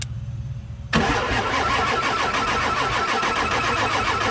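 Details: Diesel truck with no-start when hot, suspected HPOP, cranked after refilling oil to heads with valve covers loosely on; near silence, then catches about a second in and settles into steady, even clattering idle; normal start and idle.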